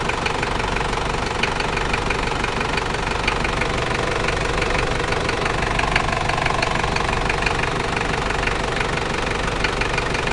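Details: New 1KZ-T diesel engine at idle: a sharp, regular knock about twice a second rides over the clatter. Internal engine knock at idle, cause unknown.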